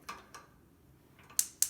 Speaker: sometimes uh when you go to turn these gas powered stove tops on you'll hear the clicking but the ignition won't be lighting the flame